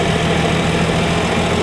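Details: 1965 Plymouth Valiant 170 slant six, previously stalled after 3-5 minutes from carb boiling due to missing heat riser; after junkyard exhaust manifold with freed heat riser valve, junkyard intake and reman carb: normal idle, steady smooth low rumble, no misses, knocks or dips.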